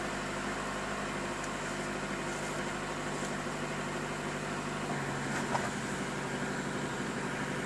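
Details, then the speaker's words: Car with a flat battery jump-started with an S-Start lithium-ion booster pack: engine starts easily and settles into a steady, even idle with low hum, no knocks or misses; normal idle. "Машина с легкостью завелась."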